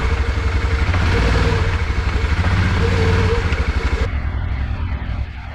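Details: Yamaha Rhino 660 UTV after blown head gasket top-end repair, test drive with covers off: loud open single pulling hard then easing off, no knock or miss; runs good, fan and water pump working, just obnoxiously loud.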